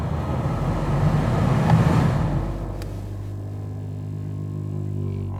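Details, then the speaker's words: Lexus 200h, noise from footwell: low rumbling grumble that drops in pitch and fades as the AC blower fan winds down after switch-off; worn blower motor. "yeah that definitely was the noise so again turn it back on speed it up when I turn it off you really hear the noise coming from down in this foot well here"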